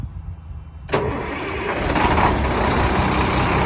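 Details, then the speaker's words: 1996 (also called 1997) Freightliner FL112 Tanker 50 fire water truck, 370 hp Cummins M11 turbo diesel, Allison automatic, about 19,600 original miles, just out of service, in winter: starts within a second and settles into an even, steady idle with no misses or knocks. Normal start and idle. "It's got a little over 19,600 original miles on a 370 horsepower Cummins M11 turbo diesel that starts right up and sounds great."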